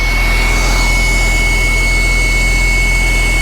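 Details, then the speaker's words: Porsche 996 911 Cabriolet on a cold start after alternator replacement (charging just under 14 V), run only seconds with no coolant. Steady high whir over an even low engine note, which the speaker calls the injection pump: secondary air pump running normally at cold start. "Oh, that injection pump. There we go. I forgot all about that injection pump running right there."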